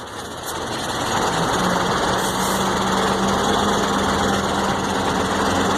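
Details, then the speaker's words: Mercedes-Benz 1634 diesel truck slowing off throttle in gear, noise located at the differential: low steady hum over engine and road noise. "eu até gravei o barulho aqui rapaz dear tudo que ó parece que é aqui É aqui no diferencial"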